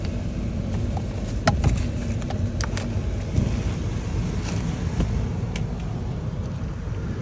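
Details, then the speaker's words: 2003 Ford Expedition, 295,000 miles, engine cold at idle, chirp appears only at operating temperature: low, even idle under wind noise, no chirp and no miss, engine running smooth and quiet. "Still no miss, no chirping, running smooth. Engine nice and quiet."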